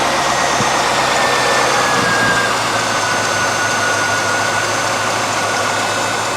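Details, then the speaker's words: All-stock Corvette V8 at idle: steady, quiet, soft even burble with a little exhaust noise out back; smooth and healthy, normal idle. "There's a little bit of noise out back. It's all stock. That's a good Sunday cruiser right there."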